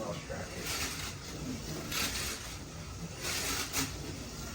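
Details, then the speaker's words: Slot car with a floating rattle-pan chassis run at 10 volts on a track at full throttle: a buzzy, uneven rattling whir swells each pass, from the rattle pan as expected; the owner thinks it's mostly the front axle, unconfirmed. "That noise you're hearing is the rattle pan, as expected, but I think it's mostly that front axle."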